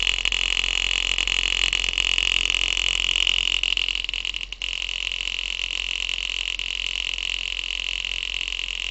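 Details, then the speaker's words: Homemade acoustic (thermoacoustic) engine, wire wool in glass tube, driving a diaphragm air pump: steady high hum with light tapping about four times a second as the bodged, bent metal rod smacks surrounding parts each stroke. "The noise you can hear is the metal rod hitting everything like that. Yeah, it's just smacking into everything because my piston is just that onto that."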